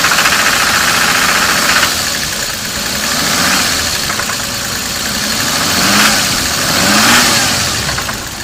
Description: Sounds like rod knocking on my 7M-GTE about 4,000 miles after a head gasket repair...